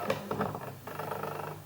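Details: Sigma 50mm f/1.4 DG Art on MC-11 adapter with Sony A7R II in AF-S mode, all latest firmware: soft clicks then faint buzz as the lens hunts focus, aperture moving; confirmed normal operation by Sigma.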